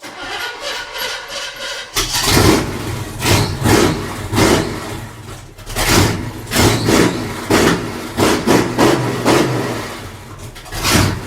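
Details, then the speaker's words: 1966 Chevy C10 V8 with only a short 4-ft section of 3-inch pipe, no mufflers yet: fires up into a loud, lumpy idle with sharp blips, way too loud but running fine. "d sounds pretty badass honestly it's way too loud but it sounds goodace yeah race car stuff"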